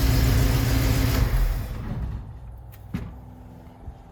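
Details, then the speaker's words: 1974 AMC Javelin warming up: low even idle rumble then winds down and stops; sounds healthy, though slight tick suspected as exhaust leak and a seep from the head noted. "I gotta turn this thing off do some more investigating sounds good though sounds pretty good"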